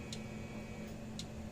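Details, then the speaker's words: 1993 International Super 100 electric fence charger, pulsing with sharp ticks about once a second over a low steady hum, but the light isn't flashing. No spark across a screwdriver and the sound doesn't change when shorted: bad transformer, low/no output. "you get no spark or nothing doesn't even change the sound if I dog if i s it out so we've got a bad Transformer in this thing is what we've got going on now"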